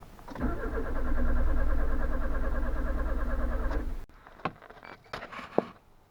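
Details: Car with key symbol lit on dashboard, immobilizer not recognising the key chip (key lost or damaged): starter spins engine evenly at about three beats a second for four seconds but it never fires; crank no-start.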